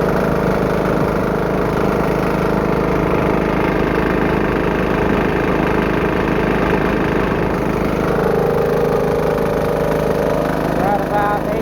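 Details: Diesel-driven air compressor after new belt installed, bigger pulley not yet worn in, warming up: steady chug with uneven slapping about twice a second from loose flapping V-belt.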